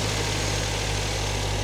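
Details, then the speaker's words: Salvage-auction car with low coolant, on a cold morning. A smooth, even idle, slightly high while cold, with no knocks, ticks or rattles, slowing as it warms; not believed overheated: normal warm-up idle. "but I don't think they let her get over I don't think she overheated or anything now she's coming down a little bit now she's slowing down she just had to reach operating temperature I guess"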